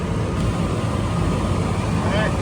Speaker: All right, she just kicked on. 49 amps from startup on our compressor. 4.3 for run.